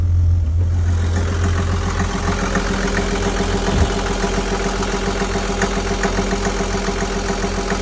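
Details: Perkins marine diesel after lift pump replacement and fuel-system bleeding: even, steady idle of about three and a half beats a second with a constant low drone, no smoke; runs smooth and healthy.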